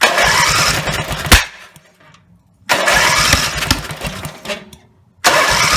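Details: Rebuilt Briggs and Stratton 17HP (carb rebuilt, plugs, sump, oil slinger, gaskets replaced, valves reseated): two start attempts, each catching with a loud rev then stalling within about a second; owner suspects the throttle linkage lever isn't resting on its screw.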